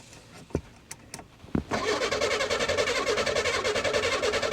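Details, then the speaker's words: 1984 Chevy Citation, no battery fitted: a few clicks then steady fast cranking that never catches, no fuel getting in; starting fluid is sprayed next, after which it runs. "okay hold on let's spray some juice in her i can't believe it can't believe she's even cranking"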